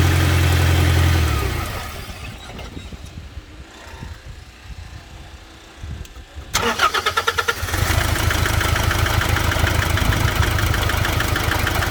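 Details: Nissan NP300 Hardbody truck cranks, catches and idles with uneven, lumpy misfire, about three stumbles a second; described as common in this generation with electronic fuel delivery.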